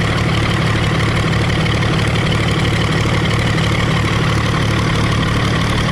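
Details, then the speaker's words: Early Case 930 diesel tractor, believed 1960, possibly first start in about 14 years: steady low idle chug at about three beats a second, even rhythm, not missing on a cylinder. "can't believe it's running that good. That's idle speed right there. We're not missing on a cylinder."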